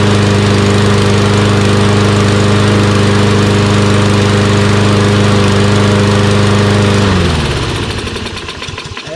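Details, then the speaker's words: Toro Recycler XT675 mower with Kohler engine, after replacing a collapsed fuel line: runs smoothly and evenly at a steady speed for seven seconds, then winds down as it shuts off. It now starts and runs great. "so something as simple as changing the fuel line fix the problem now it starts in one pool and runs great"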